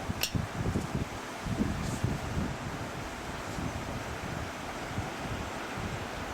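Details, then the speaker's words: Household fan with electronic controls and an oscillator, first run of the season: steady, even airy rush with no ticking, rubbing or wobble; oscillator noise noted, may need oil or grease; fan runs normally. "oh it runs hear the lovely noise the oscillator makes so that's probably gonna need some oil some grease it still works"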